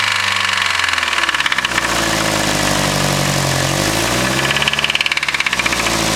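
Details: Nissan SR20 engine, owner Cristian's car, in a garage, revving up and down with a hard, rhythmic knock that follows engine speed: a spun crank bearing.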